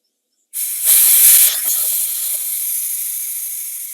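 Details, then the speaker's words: Kobalt 3332643 air compressor, tool-side pressure regulator after repairing its stripped adjusting shaft: backing regulator off vents hose pressure backwards through the valve, sharp burst then fading hiss; normal regulator venting. "all that pressure in the hose is coming backwards out this valve here that's why you don't hear that right now so this is functioning properly"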